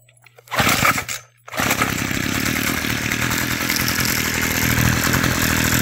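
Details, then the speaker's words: Homelite chainsaw after a carburetor adjustment, choked and primed after sitting a while: catches after a couple of pulls and settles into a steady, even buzzing run with no stumbling; sounds healthy. "it's like a brand new"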